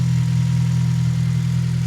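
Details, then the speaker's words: 8th-gen Honda Civic Si after an idle air assist delete and fuel rail install: smooth low idle with a faint, quick, even tick that is getting louder. No engine lights, no fuel smell or leaks; the cause is unknown and it is still warming up. "But I did notice the car is starting to tick a little bit more, like that ticking sound."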